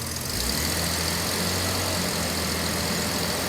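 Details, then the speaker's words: 1977 Jaguar XJ12 Series 2 V12 starting after starter replacement, possibly a little flooded since injectors ran while the old starter was stuck. Revs rise smoothly, then settle into a steady, even hum with no misses or knocks; running properly. "it could be a little bit flooded because the co-star injectors ran when the starter was broken so but we'll see go so happy it's running again"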